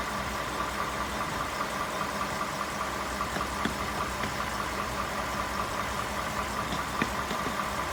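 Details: 2018 Ford F150 5.0 at steady idle with a crisp, fairly regular tick-knock about two to three times a second; engine knocking at idle.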